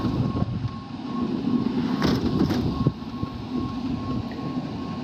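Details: Rooftop (RTU) HVAC unit before repair, blower dancing around: uneven loose thumping under a steady hum; blower wheel bearing housing held by one bolt, other bolt holes stripped, later remounted in newly drilled holes.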